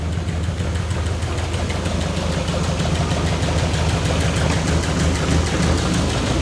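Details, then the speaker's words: 1967 Lotus Elan +2 just started after four years parked: steady, even low idle with smooth regular pulse, no knocks or misses; running beautifully, no leaks. "it's seems to be quite happy doesn't it yep nothing leaking there running beautifully"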